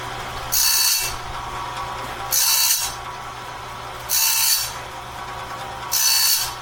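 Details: Heavy-duty sawmill bandsaw blade sharpener on a 2-inch wide, 223-inch long blade, first sharpening pass: even gritty grinding bursts about every two seconds as the wheel dresses each tooth; steady, normal sharpening.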